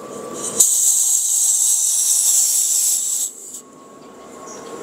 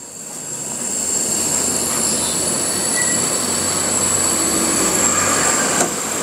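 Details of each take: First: Destec gas regulator, fully loosened, being fitted to cylinder valve: sharp steady hiss about two and a half seconds then cutting off; normal brief gas release while seating the regulator. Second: Destec LPG gas regulator, clicked onto the cylinder valve, microphone held close: steady, high, even hiss continuing with the regulator shut, with a faint gas smell; gas leaking through the regulator.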